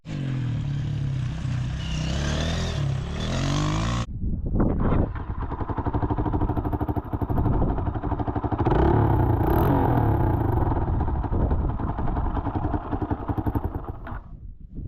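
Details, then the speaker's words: Motorcycle with cracked exhaust pipe, hole right next to the engine block: idles with loud raw chuffing bark and sharp popping pulses, far louder than normal; owner thinks it may also cause backfiring; exhaust leak. "I have a hole in the exhaust. Like, right next to the right next to the end of the block. There's a little hole right there. So, that's why my bike sounds so different."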